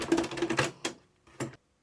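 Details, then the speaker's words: Panasonic RX-ED77 "Cobra" boombox auto-reverse cassette deck: quick mechanical clicks and clunks as it tries play, reverses, then stops; counter barely moves, spools not driven due to failed belts. "there's no movement at all watch the counter there as I press play it starts to go forwards you can't count cuz the belts are not spinning the spools tries to reverse cuz it's an auto reverse deck"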